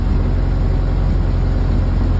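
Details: 1931 late Model A Ford coupe four-cylinder with a new Snyder 5.5 head, first run after a full engine teardown, timing lever advanced to its sweet spot: deep, even low rumble with no misses or pinging; it idles smoothly.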